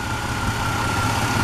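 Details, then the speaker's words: Chevy Blazer with suspected small head gasket leak causing moisture and rough starts, just after oil catch can install on PCV line: steady smooth low idle rumble with no misses; engine shakes less and runs smoother than before. "have you noticed that the engine runs really smooth it doesn't affect as much I find that before this was moving a lot now it needs less so that's how I know the engine will shakes a little bit less now and it runs really smooth and a lot smoother than it was before"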